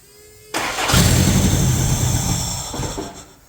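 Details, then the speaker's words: Worn-out 1994 Toyota pickup 22RE fuel-injected engine, hot-wired with makeshift fuel system: brief starter whirr, then engine catches at once and settles into a steady idle; normal crank and start, though fuel leaks appear. "Oh, that was easy. I love will it runs on fuel injected vehicles."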